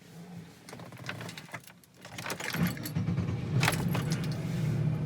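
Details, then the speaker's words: 2000 Pontiac Montana right after the bad starter was replaced: keys jingle, a brief crank, then the engine starts right up on the first try and holds a steady low idle; normal start. "it starts right up and that's how you replace a starter"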